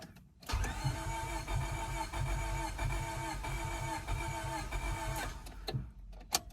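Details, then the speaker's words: 2000 Honda Civic D16Y7, crank-no-start: starter spins the engine at a steady rhythm for about five seconds but it never fires; the tach doesn't bounce while cranking, and the owner suspects the crank sensor, cause unconfirmed. "let's see if the tag bounces whenever i try to crank it nope i think we're going to put the crank sensor in it guys"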